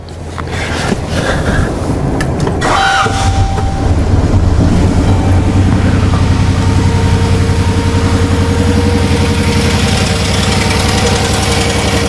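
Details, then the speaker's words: 2014 Chrysler Town & Country 3.6L V6 misfiring (P0300, P0305 cylinder 5), running rich with low manifold vacuum despite new plugs, coils and injectors: after cranking, idle pulses unevenly with irregular stumble; rough idle with misfire, camshaft timing being checked. "it's actually idling which is pretty amazing let's just stop the data let's take a look at it"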